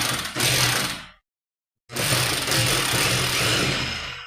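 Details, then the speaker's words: Rotary hammer drill after replacing the worn piston O-ring and greasing: two runs of rapid, sharp, rattling percussion over the motor whine, strong and even; it hammers properly again. "Now it does hammer. It starts to hit."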